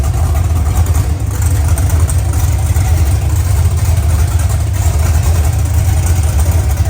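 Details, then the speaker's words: OBS truck V8 on its first fire-up, idling through open headers: a loud, deep, even burble with all cylinders firing and no misses; healthy, though the air-fuel ratio reads erratic because the O2 sensor sits close to the header end. "that sounds healthy"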